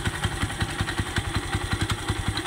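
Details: Yamaha YTX motorcycle engine at idle with a heavy, even clatter about five knocks a second that some would blame on worn internals needing an overhaul; the cause was loose or broken bolts on the starter clutch (bendix) at the flywheel.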